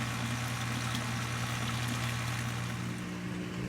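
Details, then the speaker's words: Frigidaire top-load washer after replacing the broken drive belt and drain pump, drain test: a steady low hum with an even watery rush and no rattle or grinding; the drain pump empties the tub strongly. "now we just need to test the drain pump to make sure that everything drains properly and you can hear it draining nice and strong so in here the drain pump is working"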